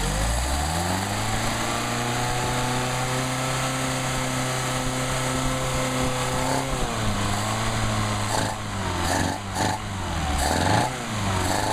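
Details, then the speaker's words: Mercedes 190SL running on tested Solex carburetors: steady even idle that wavers briefly when the throttle is blipped and snaps back, idle unchanged, settling smoothly; carburetors running cleanly. "There we go. Snapped on, idle didn't change."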